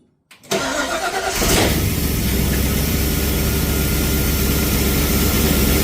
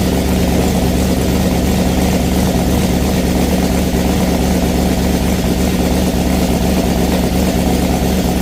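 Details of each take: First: Ford Falcon XB hardtop during restoration, after earlier noise that went away, slight sump bolt oil leak: brief crank, fires within a second, steady even idle with no knocks or ticks; normal start and idle. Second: Ford Falcon XB hardtop under restoration, first start after rewiring, no oil pressure gauge connected: starter and running sound fine, but a loud rough engine carries an uneven knock about three beats a second; knocking noise when running, source unclear.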